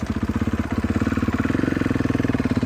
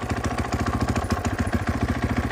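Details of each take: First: Cold 2014 Husqvarna FC 450 single-cylinder, unstarted for a week or two, ridden on first test ride: loose irregular slapping clatter from a slack drive chain; owner plans to tighten it before it comes off and damages the cases. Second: 2014 Husqvarna FC 450 single-cylinder dirt bike idling with fast idle on after a cold start, unrun for a week or two: even thump, about eight firings a second, no odd knocking; just a cold 450, though some clutch chatter present.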